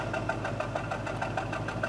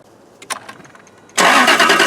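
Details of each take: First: 2004 Jaguar S-Type petrol engine idling with a pulsing, slightly uneven beat and shaking: a misfire at idle, before replacing all spark plugs and coil packs. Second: 2004 Jaguar S-Type V8 after replacing all eight spark plugs and coil packs for a fifth-cylinder misfire; short crank, fires at once, flares then settles to a smooth even idle without skipping; clean start.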